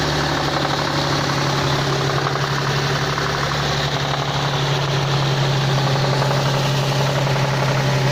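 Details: Nissan 350Z/G35 VQ35DE 3.5 L V6 with variable cam timing, 315 hp, idling with a steady hum and a dull, fairly regular knock; connecting rod bearing knock.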